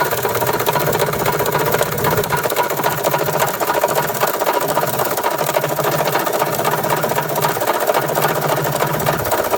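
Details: 1993 Toyota Tercel, first start, heard at the engine: hard, rapid knocking over a rough idle, and it won't accelerate. A rod knock was suspected; heavy fuel contamination of the oil from a fuel-injection issue was later found, probably leaving the bearings unprotected.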